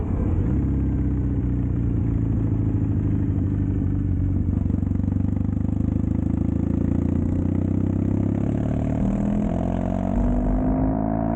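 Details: Custom Triumph Bonneville T100 with Down & Out drag pipes, after stage 1 torque kit and stage 4 ECU remap: low even twin grumble rising smoothly with throttle, no overrun pops or backfires; healthy exhaust note.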